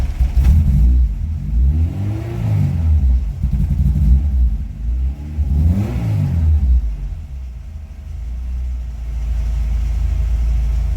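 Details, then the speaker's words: Honda with swapped 06 Civic Si LSD transmission (RSX speedo/shift conversion): after transmission install, engine revs smoothly through blips to a steady idle; previous engine noise gone, flywheel suspected earlier cause. "Let's start it, see if it's still on that engine noise that it was before. And it's not, so we're good."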